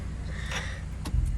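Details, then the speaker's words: 1996 Lexus GS300 heater/AC blower motor before replacement: weak airflow on speeds 1–2, loud on 3 and very loud on 4, shaking the dash; heavy steady low rumble with faint rattle; cracked blower fan wheel. "yeah it's super loud and it shakes the whole dash once it starts really going and it just doesn't blow very powerfully"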